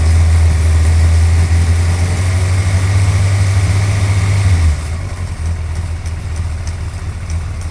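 Loud, even motorcycle idle with a regular light tick, about four a second, that keeps going as the revs drop.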